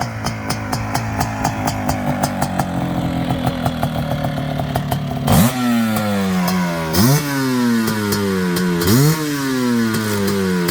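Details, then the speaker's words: Suzuki LT500R Quadzilla 500cc two-stroke, FMF pipe, airbox lid off, 39mm PWK-style carb, 0.5mm over bore, warming up, reading about 170; crackly blips from burbly idle, cleaner as it warms, maybe rich; rough running when cold. "see now it's now it's starting to sound a little healthier it's starting to sound healthier it's trying to sound a little better now that it's warmed up"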